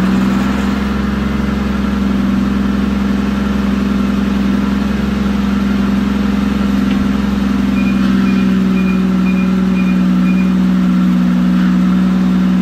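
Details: 2012 Mazda 6s 3.7 Duratec V6 after water pump and full timing chain service, first start after reassembly: steady idle with a rough, gritty whine over the engine note from the power steering pump grinding on air in the fluid.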